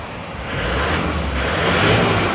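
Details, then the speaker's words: Isuzu Panther diesel pickup after repair for blow-by, injection timing advanced from too retarded, which had caused white smoke when revved, about 60 degrees: revs smoothly from idle with an even rumble, no smoke; normal revving. "kalau kita gas sudah gak keluar asap kemarin itu keluar asap putih kalau digas itu karena yatimya kurang maju"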